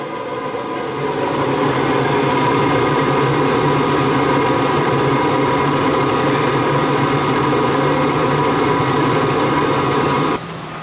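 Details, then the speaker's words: New 80+ gas furnace replacing a 1960 vintage unit with a faulty gas valve, first firing after the gas was turned back on, delayed by air still in the line: a whoosh builds into a steady even roar, then cuts off cleanly; normal ignition. "Oh, still air in there. Oh, here we go. Houston, we have ignition."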